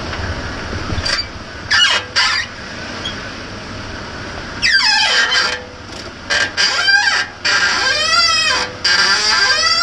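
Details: 1998 Toyota 4Runner, recently bought and already making the noise: high, wavering squeaks in irregular bursts; the owner is unsure of the cause.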